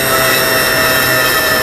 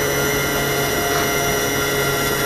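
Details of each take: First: Low-voltage cutoff on an eFlite 1.2M Spitfire: bench test at full throttle with readout, steady high motor whine sags and falls in pitch as controller cuts power; battery voltage drops rapidly, different adapter ruled out as cause, swapping battery next. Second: E-flite 1.2m Spitfire RC plane electric motor on a 4S 2200 battery (manual calls for 3S), bench-tested with a second battery after a mid-flight LVC cutoff crash; constant high even whine, motor runs fine but voltages sag to about 3.16–3.18 per cell.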